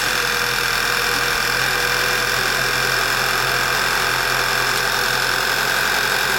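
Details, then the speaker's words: 2011 Passat running poorly at idle: steady hiss, big suck noise and faint whir low on the engine, rising briefly as vacuum recovers; vacuum leak from a failed PCV valve, lean at idle code logged. "So you can hear there's a great big suck noise coming out of somewhere. If you listen faintly, you can hear a little whir coming down the bottom there."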